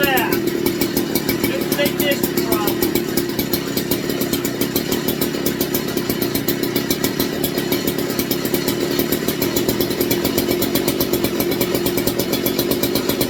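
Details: McCulloch MC49 chainsaw after rebuild, 090 carburetor, 64°F shop: fast, even two-stroke buzz with steady rapid beat, no misses or surging; runs cleanly after ignition problem fixed.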